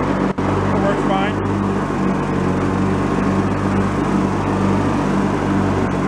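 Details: Free, previously derelict Craftsman riding mower, function check after electrical and safety-switch repairs with spindles checked not bent: steady engine drone with the deck spinning, no growl, squeal or spindle rumble. Deck fairly quiet, bearings not noisy, runs normally.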